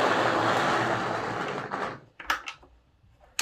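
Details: Lima Class 55 Deltic model loco, secondhand sold as non-runner, first test on track before any cleaning: small motor whirs, bogs and fades, isolated clicks as it struggles; dirty commutator and gears, wheels filthy.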